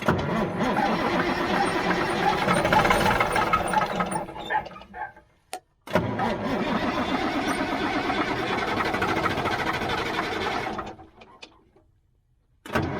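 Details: 1977 Mack R-model diesel that sat for years gives slow, steady cranking at about three turns a second with pauses, even after ether. It never catches and the batteries are running down. The cause is unconfirmed; suspected no fuel from the top of the injector pump. Cranking, no start.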